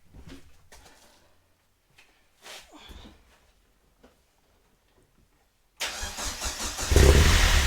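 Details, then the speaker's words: Vauxhall Nova on first start with new stainless exhaust: after several sputtering tries it catches and rises into a rough, loud idle; needs throttle to start, lacking cold-start enrichment; runs very rich, 10.0 on gauge. "still wants a little bit of throttle still needs a little bit give us a little bit of throttle let's try again"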